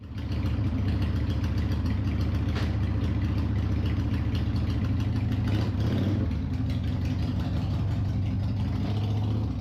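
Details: 1995 Harley-Davidson Sportster after Screamin' Eagle performance clutch kit install and clutch adjustment bearing fix: loose, lumpy V-twin idle with deep even beat, no clunks or grinding from the clutch side; runs healthy.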